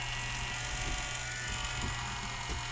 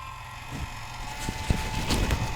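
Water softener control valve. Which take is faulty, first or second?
second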